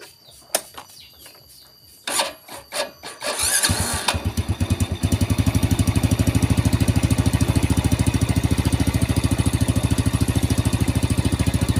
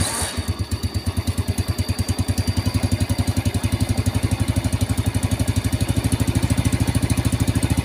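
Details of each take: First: Vega R single-cylinder motorcycle: starter catches after a few tries, then a steady, even idle thump about three beats per second; engine fairly healthy, following a broken part housing repair. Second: Vega R motorcycle: starter cranks heavily with a steady, labored low chugging; engine oil is thick and the combustion chamber is to be cleaned, with the exhaust also due for repair.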